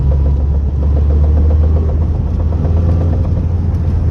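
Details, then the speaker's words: Lada Priora cruising in third gear: a heavy, steady low drone over the engine. The noise is absent in first gear and starts from second; cause unknown. "Сейчас я переключусь на вторую передачу и будут шумы Опа 2 [музыка] и вот шум 3 [музыка]"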